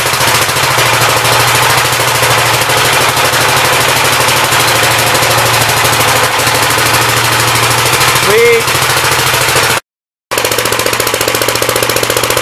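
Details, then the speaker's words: Gravely 59 LI single-cylinder engine with 20-over piston, oil drained was mostly water; steady fast putter firing evenly without misses or heavy knock, awesome oil pressure, running well. "I don't know if you guys did but yeah it runs and works pretty good it's got awesome oil pressure"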